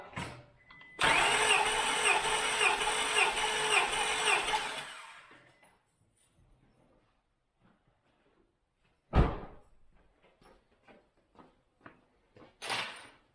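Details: 2000 Acura 3.2 TL, J32A1 V6 at 623,264 miles, original valves, heads never off, completely cold engine, compression test cylinder 2 at wide open throttle: even, steady chug for about four seconds; reads about 195 psi, healthy cranking.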